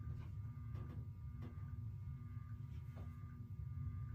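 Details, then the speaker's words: Menards 42-inch hugger ceiling fan, new in box, running on low speed: really loud low steady motor hum with faint periodic knocks about every 0.7 s; heavy vibration, possibly something loose up in the housing. "Don't know if you can hear it, but I certainly can. It is pretty loud. Actually, scratch that, really loud. This is not a bedroom quiet fan whatsoever."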